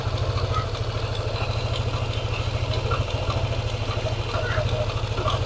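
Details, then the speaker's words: Yamaha NMAX scooter at hot idle, quiet when cold: fast, fairly steady tick about three a second over the engine beat, louder when throttled; worn crankshaft bearing. "jadi bila mana motor ini kita gas dia suaranya nya tambah terdengar"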